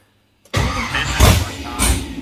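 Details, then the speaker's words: Nissan 240SX with LS swap (LM4), no throttle bracket yet, 43 psi fuel pressure and oil pressure present: the starter cranks in uneven bursts with stumbling pops that nearly catch, but it never runs. It seems to need throttle. "Oh gosh. Oh, it's so close."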